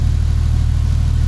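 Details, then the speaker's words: 1953 Pontiac straight engine restarted after long restoration, fuel pump tested fine and carburetor primed with gasoline; deep, even low rumble with a steady firing beat and no knocks or misses; normal idle, though a fuel line is leaking. "oh there's nothing wrong I hope I have missed this sound for so long"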